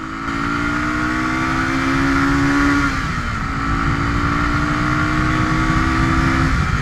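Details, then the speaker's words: Used Suzuki DR350S, reportedly rejetted and carb cleaned by previous owner, on a ride: revs then drops as throttle closes with uneven popping and coughing, backfiring on deceleration; also losing power at high speed and breaking down; cause unconfirmed. "So right there, you can just kind of hear it coughing up. It's just backfiring when I let off the throttle."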